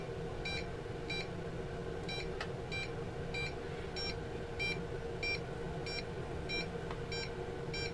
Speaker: And you hear it just constantly beeping, so there's no way I would start the props because it would just take off or do something crazy where it's intermittent signals like that.